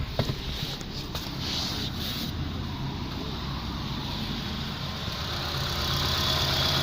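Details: 08/2011 TK Holden Barina with a 1.6 F16D3 four-cylinder petrol engine, 153,303 km, listed as automatic, at a wreckers for dismantling: smooth, even idle with a steady low hum and no ticking, knocking or stumbling. Healthy engine.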